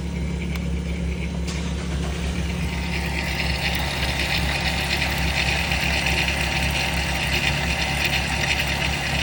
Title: 2002 Eurovan spray can rattle sound (240k miles)